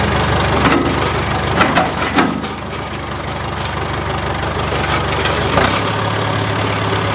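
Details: John Deere 410C backhoe diesel after battery replacement, alternator charging at 13 V: a few knocks and clunks, then steady even low drone at idle; running fine.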